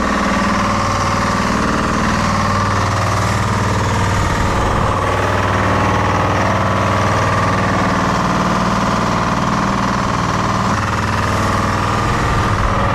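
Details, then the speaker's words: Detroit Diesel-powered car crusher idling with a pressure line cracked to check pump output. Uneven churning as the starving hydraulic pump sucks air from a low-oil tank; owner also suspected debris or a failed pump. "so it looks like we're just getting nothing but a bunch of air"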